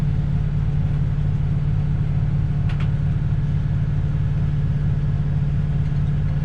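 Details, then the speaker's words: 1967 Ford Galaxie 500, 289 Ford V8, just restarted and warming as the thermostat opens during first-start break-in: deep, even idle rumble with no knocks, misses or ticks; the engine runs smooth. "Okay, so Let me start it back up. So as you can hear, it runs real smooth."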